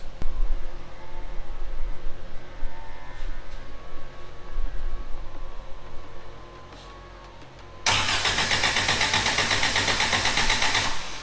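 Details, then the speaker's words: Suzuki Samurai running a makeshift trigger-wire ignition on the distributor with a ballast resistor to drop the coil voltage. The engine catches late and runs choppy and uneven. The setup wasn't working, so the owner reverted to the original ignition coil. "because I'm having issues with uh [Music] you know using that makeshift whatever you want to call it ignition on my distributor it's just not working"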